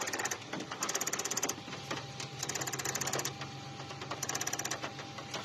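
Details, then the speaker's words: Infiniti Q45 ABS block motor makes fast, irregular machine-gun clicking, about three per second, crisp and high over a faint hum; suspected fault in the VDC circuit, cause unknown, and the ABS fuse gets pulled. "I had this weird ticking sound in the ABS block here, the motor, and it would make this crazy clicking sound like a machine gun."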